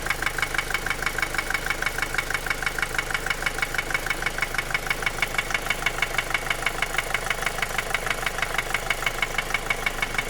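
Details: 2010 Opel Astra J 1.7 CDTI 125 HP diesel idling: sharp, very even tapping about three knocks a second; began after a clogged oil pickup, bearings checked fine, injectors replaced without help; slightly quieter when warm, cause unknown.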